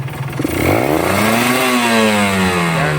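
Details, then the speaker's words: Two-stroke motorcycle with carburettor set for fuel efficiency at low rpm: revs up freely with a smooth, steadily rising note and no blubbering or bogging low down; mixture set correctly. "Enteng RPM-nya kalau settingannya pas ya. Putaran bawahnya nggak berbet."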